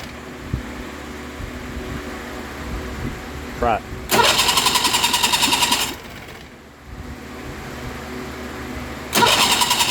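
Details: Mariner outboard that dies when put in gear: two long, rapid cranking bursts of about two seconds each, never catching after returning to neutral; hard starting.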